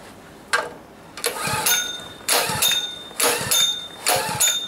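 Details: Pull-start small engine soaked at about minus 20 overnight, hard to pull in the cold, owner wary of flooding: about four hard pulls a second or so apart, each a brief spin with no catch; cranks but won't start.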